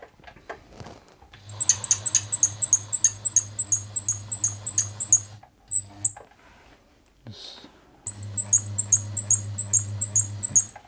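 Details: Bernette 50 sewing machine in for service after lack of maintenance, very noisy: quick regular high-pitched squeak in time with the running mechanism over a low motor hum; source being tracked down, cause unconfirmed.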